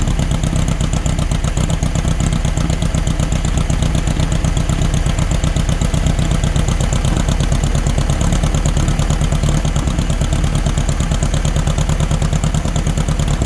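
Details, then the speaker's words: 1964 VW Beetle (modified Baja Bug) air-cooled four, previously seized engine, started after over a year sitting using old gas in the bowl on a freshly charged battery: lumpy but continuous idle, firing steadily with no misses; running normally again. "there we go now that we got it running let's see if we can't get it to move around"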